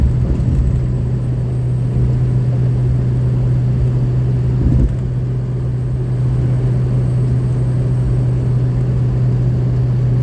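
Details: 2003 Ford F350 6.0 Power Stroke diesel after replacing the left-hand Y-pipe-to-turbo V-clamp that caused an exhaust leak: deep steady rumble with even drone and no puffing or ticking. Normal running, no overboost or power loss.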